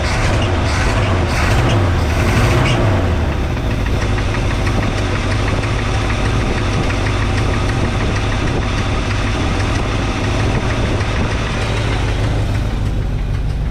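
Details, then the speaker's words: 1962 Chevrolet C10 V8 run in driveway with raised idle, cold before thermostat opens, old spark plugs: deep lumpy idle with uneven beats and occasional stumble; owner suspects one or two bad spark plugs, timing and carb tuning pending. "I still haven't changed the spark plugs, so don't be too alarmed about it running rough. Those spark plugs are probably, maybe one or two of them are really bad."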